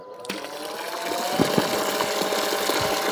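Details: Parkside PRPA 20-Li A1 cordless rainwater pump on an X20 battery switched on in clean water: steady motor whine under rushing splash, no knocking or rattling, running cleanly.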